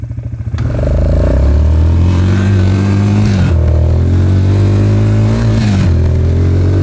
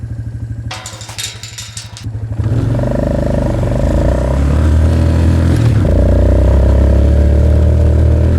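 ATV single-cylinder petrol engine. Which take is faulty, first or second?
second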